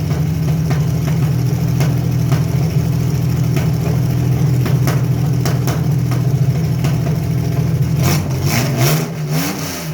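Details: Carbureted Chevy Lumina 3100; rough, lumpy idle with an irregular stumble in the exhaust beat, then a rev; misfire found to be a bad coil pack, with a small vacuum leak also present.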